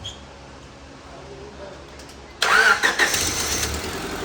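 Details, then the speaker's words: 2001 Honda Civic LX 1.7 L after a timing belt and water pump replacement: a quick crank catches at once and settles into a steady, even idle with no misses or knocks; no valves were bent. "Oh, listen to that, boy. It's purring like a kitten. What do you think? Hey, it sounds good. Sitting there and idling good."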